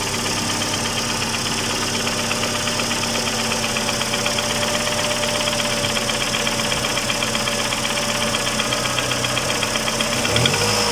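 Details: Mercedes A140 (W168) after replacing ticking hydraulic valve lifters; engine started and revved, steady even note with smooth rev and no valve-gear tapping, lifter noise gone.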